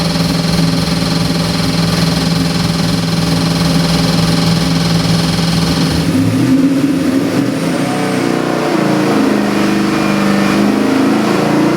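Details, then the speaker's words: Custom-built Chevy LS7 441 cubic inch crate engine with drive-by-wire throttle body, built for a 1969 Camaro; a deep, choppy lopey idle, then revs that climb and fall cleanly, a healthy big V8 with an aggressive cam. "Runs beautiful. Nice muscle car chop to it too."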